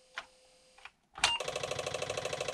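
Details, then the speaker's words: Apple IIe after capacitor and power-supply repair: at power-on the floppy drive clicks rapidly and evenly, about a dozen a second, retrying the read while the screen shows only a few dots; self-test found a bad RAM chip, second from left. "when i flip it a switch the flappy drive you can hear it's clinking it's pulls to try to read the disc but on the screen you will see almost nothing there's only a few dots that's it"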